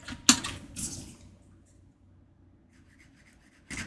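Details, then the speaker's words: Apple HomePod subwoofer driver, owner-reported noises at idle: short scratchy rasping bursts between quiet gaps, like a coil scraping as the cone moves, where it should be silent; the subwoofer is blown and needs replacing. "that should not make any noise it should sound more like this like nothing okay well that is certainly roasted"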